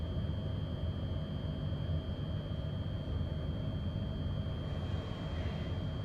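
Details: Regio 2N Z 5700 train passing: deep steady rolling rumble with a thin constant high ringing tone; unusual rolling noise, probably following rail grinding, not confirmed.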